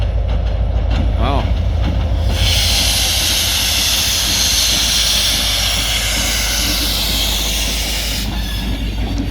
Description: This is NOT what ELS 503 (SD40) of the Escanaba & Lake Superior Railroad normally sounds like, that hissing sound is a little much don't you think?!